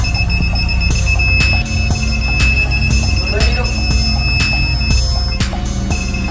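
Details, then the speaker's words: Newly installed aftermarket reverse parking sensor on a car, tested with the car in reverse, gives short sharp beeps about once a second over background music; the buzzer works properly. "Keduanya menyala. Jadi, apakah Anda mengerti di mana bunyi bip itu berasal?"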